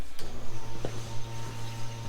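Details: KA24DET-swapped Datsun 510 wagon on MicroSquirt ECU, fuel pump triggered with engine off while setting an aftermarket regulator toward about 44 psi: steady low electric hum with a few clicks, electric fuel pump priming and building pressure normally.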